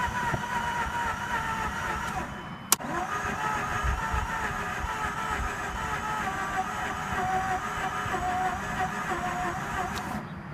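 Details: Mazda RX-8 rotary, previously shut off before warming up, on jumper with low fuel: long even cranking with steady starter whine and uneven chuffing that never catches; flooded rotary, cranks but won't start.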